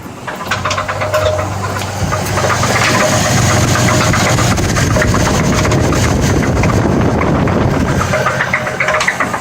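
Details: 2008 Chevrolet TrailBlazer 4.2L six-cylinder at 113,000 miles, 15,000-mile oil changes: heavy steady knock from deep in the engine at idle, three to four a second; cylinder #3 rod bearing spun, heat discoloration throughout.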